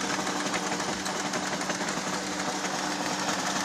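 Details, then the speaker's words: Toyota 2AR petrol engine idling unevenly with irregular stumbles: a misfire caused by incorrectly set cam timing, giving a wrong camshaft-to-crankshaft sensor correlation. "you can see that the engine is not stable this as a result of bad timing the Eng wasn't properly set"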